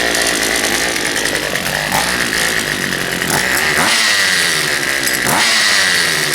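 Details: Poulan Pro 222 38cc chainsaw after correcting the fuel line routing (missing fuel return line found) and fitting a new air filter, started on choke then run: buzzy engine revs up and drops back several times, picking up cleanly without stumbling; normal running.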